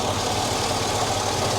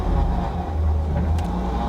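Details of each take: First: Chevrolet SSR V8, sold at auction as having internal engine noise, checked with the hood up: steady, even idle with a smooth, unbroken rumble and no knocking or misses. Sounds healthy. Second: Chevy SSR V8 with 118,000 miles and fresh power steering fluid, idling: faint steady whine over the low rumble, louder with a little throttle, from the power steering pump; owner suspects air still in the system.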